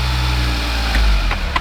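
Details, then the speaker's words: Smart car with an intermittent no-start electrical fault, after the fuse block under the seat was worked on: the small engine settles into a steady low idle with even pulses, a brief bump and light clicks; it starts and runs normally. "Ikka veel läheb käima, Panen 3 korda, vaata, kui haisu viskab."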